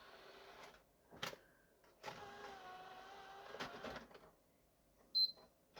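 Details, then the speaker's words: PS4 after lifting the drooped eject button spring: click, short motor whir as the disc slides out cleanly, then a crisp beep; eject works every time after repair. "eject buttons working every time give it a few beeps there we go yeah sorted"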